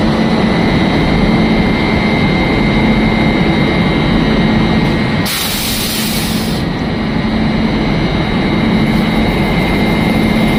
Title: इंजन से आवाज आने वाली मोटर की आवाज यही से आती है @jashvlogger786